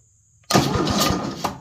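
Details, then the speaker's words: Cub Cadet LTX 1050 mower with intermittent no-crank fault, solenoid tested by jumpering its small spade terminals; later traced to broken red/white wire at key switch connector. Sudden starter engagement, a second of quick even cranking: starter and solenoid good. "so I got this black one on one Spade it doesn't matter which spade and I'm going to touch this red one to the other spade and if it cranks my starter it means the the solenoid is"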